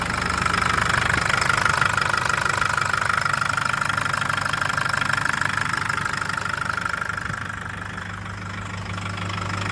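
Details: 2011 Nissan GU Patrol CRD automatic diesel idling with a very loud, steady knock, about three raps a second over a low drone; also no power, stalls when driven cold, codes P0088, P0089, P1090; cause unknown.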